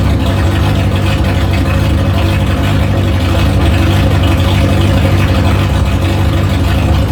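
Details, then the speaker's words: 1973 Opel GT, 2.4 stroker Opel engine with fuel-injection intake on MaxxECU, first start, no muffler, untuned: very loud deep unmuffled rumble, uneven lumpy idle; rough idle. "has no Muffler it's loud and rough as hell but it sounds like a fire breathing dragon and that suits me just fine for now"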